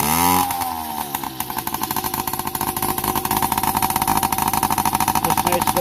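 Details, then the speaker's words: Yamaha PW50 two-stroke after refitting the cleaned OEM carb and original throttle cable, adjusting the oil pump, new spark plug and cleaned tank: starts at once, revs briefly, settles into a steady even idle, no longer smoking; normal. "starts way easier now got a nice idle [Music] not blowing h of smoke anymore"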